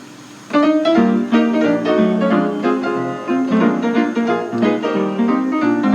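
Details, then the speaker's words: 1926 Kohler & Campbell player piano freshly tuned, playing "The Glow Worm" on a Playwright roll: steady, even tempo with clean notes and no dragging, rubbing or speed wobble; normal playback. "And we're going to hear how it sounds now that the piano has been freshly tuned."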